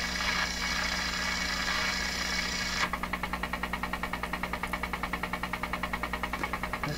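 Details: DeForest 10DA517 AM tube radio, paper capacitors all replaced, on dim bulb, no antenna: steady hiss turns into a fast even putt-putt around three pulses a second with squealing; motorboating oscillation, cause still unknown.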